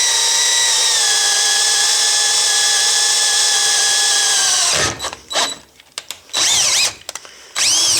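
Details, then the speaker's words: Drilling 3/16 inch metal plate slowly with variable-speed drill at part trigger, firm pressure and lubricant, producing big curled chips: steady even motor whine holding pitch under load, short bursts on restarts; normal slow drilling. "you want big chips you want big curls if it's coming off like a powdery form you're not pushing hard enough and you're spinning a bit too fast I'm not even pulling the trigger all the way I'm spinning the bit"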